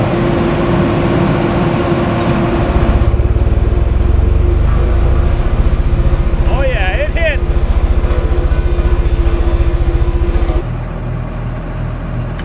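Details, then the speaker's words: Auction loader, apparently Cummins 6BT diesel, good oil pressure, quick start, stiff drive control: deep even throb climbs cleanly under load and drops back smoothly, no misses or knocks; runs very well. "oh buddy this thing runs really good like phenomenally"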